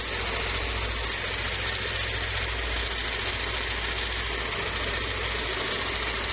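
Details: Yamaha NMAX scooter at idle with a rough, rattly rumbling noise that stays after the CVT cover is removed; a worn, loose camshaft bearing in the head is found, with CVT parts also blamed.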